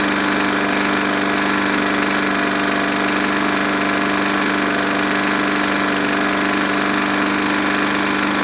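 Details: Junk walk-behind lawn mower running on just enough fuel after priming, air filter and cover missing, reportedly very smoky: a busy single-cylinder buzz at steady speed with an uneven rattling tap about once or twice a second; cause still to be checked.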